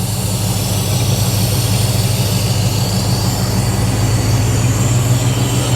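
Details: 1986 Buick Regal G-body, 455 big block with Holley EFI, just started after intake gasket replacement with good oil and fuel pressure: deep, even V8 idle rumble, no misses, ticks or surging; healthy idle.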